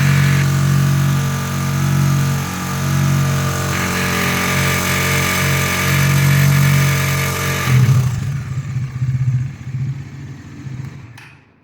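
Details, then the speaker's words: Bajaj Dominar NS400Z with 3,200 km, warm engine held at high revs: a fast, light tapping over the drone, fading on release. The tick began around 2,500 km; the owner suspects the cam chain and that the tensioner needs tightening, and is taking it to the dealership. "Não sei se deu para vocês perceberem aí, mas tá na alta ela começa a dar um um batido, tá? Me parece ser corrente de comando, tensor precisa apertar, mas vamos ver se vai resolver ou não."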